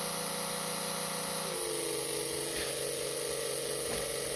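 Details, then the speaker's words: Mega G+ 1.7 slot car can motor on a dyno after resoldering: high buzzy whine wavers and shifts pitch unevenly; owner says the problem is between the pickup shoe and the dyno, axle hole still loosening during run-in. "Yeah. No, still got issues. You can hear it. It's definitely a problem between the pickup shoe and the dyno."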